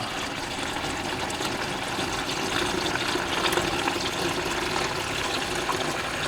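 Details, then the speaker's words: Abandoned Jeep CJ7 with AMC 304 V8, left in woods for years, engine not running: heavy steady gush of liquid draining from the sump, a lot of water instead of oil. "that's just water coming out of the engine wonder how much water's in it that's not good"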